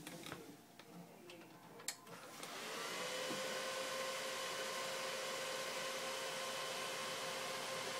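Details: Dell XPS 630 desktop at power-on: quiet clicks, then the fan spins up to a loud steady whoosh with a held tone and never slows or loads Windows; fan stuck at full speed, no boot.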